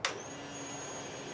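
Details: Harley Heritage Softail after fuel pump replacement, battery just reconnected, no fuel in tank yet: a click, then a faint steady high whine of even pitch; fuel pump priming normally at key-on.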